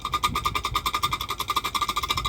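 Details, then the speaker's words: Jeep clutch job, clutch plate rivets failed and plate spinning, causing poor disengagement: rapid light metallic clatter, about ten knocks a second, as worn flywheel is rocked by hand; worn flywheel knocking. "You can hear how much it's knocking about."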